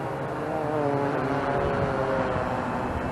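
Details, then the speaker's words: Bayang Toys X16GPS drone hovering outdoors with GPS found to be on the whole time: steady buzzing whine from the motors, slightly wavering in pitch; owner suspects the battery is getting low, not confirmed. "Oh, I think I know why it's buzzing like this, or doing this craziness."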